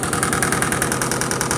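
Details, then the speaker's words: Electrolux Perfect Wash 16 kg washing machine in spin with the lid banging: fast, even thumping and a rattling knock on every drum turn as the machine shakes and walks forward, cause unconfirmed. "simplesmente a máquina tá empurrando tá empurrando ó máquina tá empurrando a máquina não para de fazer barulho"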